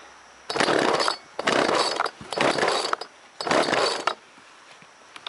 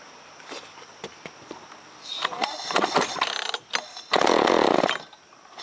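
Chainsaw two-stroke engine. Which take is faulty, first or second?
second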